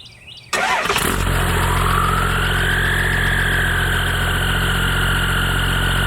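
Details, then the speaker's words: First-gen 12-valve Cummins pulled into the garage before a valve adjustment: diesel fires and settles into a loud idle with busy clatter on top, as the valves are out of adjustment. "we're going to do like a before and after to see how different and how out of whack these valves are, how much they need to be adjusted."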